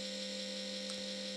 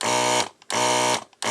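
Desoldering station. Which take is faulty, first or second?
first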